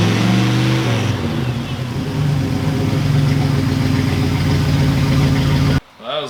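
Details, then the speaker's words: Ford Galaxie V8 after a new distributor install with timing set at about 8 degrees: the engine blips up, then settles into a smooth, even idle with no misses or knocks; it now runs perfectly. "That proves it. This thing runs perfectly now. That makes me feel good."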